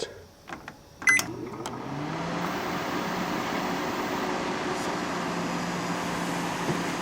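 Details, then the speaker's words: Panasonic inverter microwave with a new fuse and switch, heating a cup of water: keypad beeps, then a steady low hum and smooth fan whir; runs and heats normally, though buzzing was noticed near the choke. "seems to run we going add a bit more time and we see if we can get that water hot"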